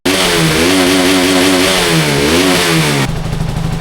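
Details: 2012 KTM 200 Duke single, refitted after a crash damaged the forks and started after two months: revs cleanly through several throttle blips then drops to steady idle, even firing with no knocks; healthy.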